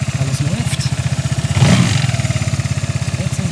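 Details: Vespa GTS 300 single-cylinder scooter, test start right after fitting new Dr Pulley Tech Pulley variator rollers against low-rpm and idle clatter; even putter about four beats a second, one brief throttle blip midway, then smooth steady idle.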